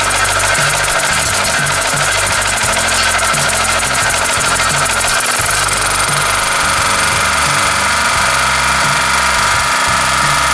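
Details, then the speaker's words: Daito 2.4 kVA portable 4-stroke generator after service for water in the oil, retested: loud steady drone at constant speed, no stumbling or surging, background music; runs normally. "OK, tất cả các bạn cho máy không có vấn đề gì và máy vẫn bật bình thường hoặc sinh hoạt bình thường"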